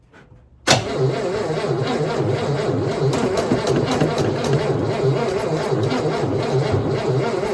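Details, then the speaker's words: 1960 Cadillac Series 62 stored inside, being revived after sitting; fuel poured into float bowl and intake; starter churns engine over slowly and unevenly, labouring, never catches; weak slow cranking, battery charger on boost to be added. "I don't think she's turning fast enough I'm going to have to put my uh battery charger on it"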